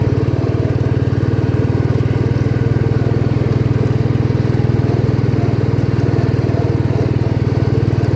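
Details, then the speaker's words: 1972 John Deere 110 garden tractor revived after years in barn, driving: even steady low chugging, no misses, knocks or surging; runs smoothly. "this thing's amazing it runs awesome"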